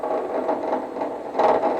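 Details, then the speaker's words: Woodturning a Christmas ornament blank on the lathe, tool rest on top to test roundness: steady whirring with a rough chattering rattle as the tool rides the blank, meaning the piece still has flat spots. "hear that rattling noise that means i still have some flat spots just a little bit further"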